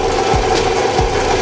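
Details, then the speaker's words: 2014 Scion xB 2.4L (2AZ-FE) VVTi: fast, busy metallic rattle from the timing chain area at the front, blamed on the intake-side cam phaser; timing chain, rails and phaser to be replaced. "if you guys are having this sound, you guys, trust me, that is that cam phaser acting up like that."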